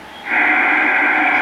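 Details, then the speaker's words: 1975 Pace 1000-B 23-channel SSB CB base radio, repaired and retuned: quiet hiss, then the set switches on via its flip-clock timer with a sudden steady rush of receiver noise, no buzzer; the timer switch-on works fine. "let me put it on the timer part and do this and it should come on there it is no buzzer just it comes"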